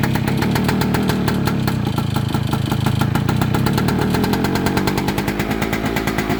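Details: 1998 Kawasaki KE100 two-stroke, cold start after sitting for days: fast, fairly steady light ticking rattle from the cylinder jug over the uneven cold idle; owner asks what the rattle is, cause unknown.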